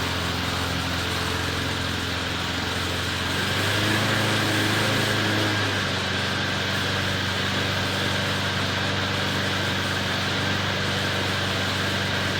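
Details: McLane mower, rear lifted so the freshly lubed drive chains freewheel without driving forward: small single-cylinder engine puttering at a steady, even beat about four per second, no knocks or rattles; runs healthy, readied for sale.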